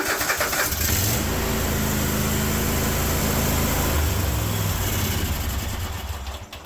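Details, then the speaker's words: Kohler 24 hp SV725 engine on a Cub Cadet 1050 Hydro, cold start on full choke after a week unused, following idle circuit repair: it revs unevenly with a lumpy rhythm, then sags and dies. It won't idle when cold; cause not confirmed. "does not like to idle right off the bat ever she seems a bit cold blooded"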